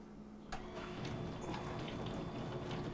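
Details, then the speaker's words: Frigidaire LGBD2432LW0A dishwasher in diagnostic test mode, wash step, on a unit that is not draining. Quiet, steady wash motor hum under swishing water spray with no grinding or squeal. The wash motor runs normally. "the third one is actually washing which we can hear the motor going"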